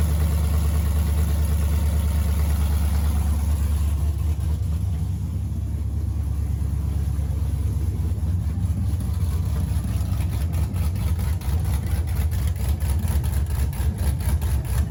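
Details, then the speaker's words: Lifted 2007-13 Silverado V8 with BTR Truck Norris cam, DOD delete, open long-tube headers, untuned, 6L80 six-speed with stock torque converter: very loud, deep choppy uneven lope, no muffler; runs well, otherwise sound. "The truck sounds good, it runs really well. Once we get exhaust on it, it'll sound even better, but the drivability is honestly very good with it."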